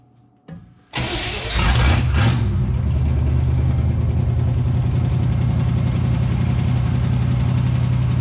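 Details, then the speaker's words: 1967 Chevrolet Impala 283 V8 with Powerglide, sitting since 2005, first start: cranks briefly, catches with a rev, then settles into a steady, even idle with no funny noises or heavy smoke; slight lifter tick, which the owner expects warm-up and fresh oil to fix. "That's pretty good. No funny noises. Not a bunch of smoke coming out."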